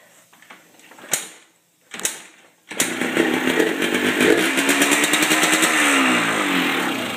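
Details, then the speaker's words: 2000 Yamaha Blaster two-stroke nearly out of gas: two kicks, then catches and runs raspy and popping, revs swelling and sagging without bite; feels like decent compression but has low compression. "but it feels like it's got decent compression, but it just really doesn't."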